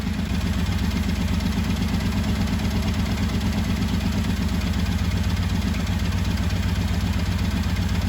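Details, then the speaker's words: 1985 Honda VT1100 Shadow V-twin, revived after 25 years, after the carbs were balanced. Steady, even low thump at idle with no hunting or stumble. Smooth, balanced idle after carb synchronization. "That'll work. You can see how important balancing is. V-twin, twin cylinder."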